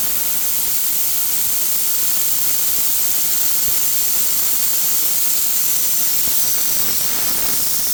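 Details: Air system deliberately bled down before undoing the supply pipe to re-pipe the diff-lock feed under the dashboard: loud, steady hiss of stored air rushing out without letup; intentional venting, not a leak.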